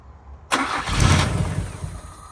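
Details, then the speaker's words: 2001 Honda Civic EJ9 with a D-series engine, off the road since 2014 and last run in December 2018, fuel pump primed about ten times with fresh fuel: a short crank, then it fires instantly and settles to idle. Normal start. "now it did take two turns of the key the first time I'm guessing it was just clearing its throat a bit cuz it was full of leaves or something up the exhaust um but yeah it fired like absolutely instantly"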